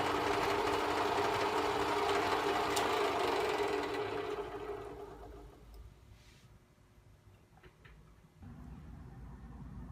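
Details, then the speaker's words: Atlas Clausing 4800-series (4804) 12-inch lathe during restoration test run, clutch and power feed engaged: fast regular mechanical clatter near 220 per minute, then winding down; a gear grinding, teeth bitten but none missing. "come to find out I was uh grinding a gear down here when I did a test run you see that gear right there it's got It's got a little bit of bite into it"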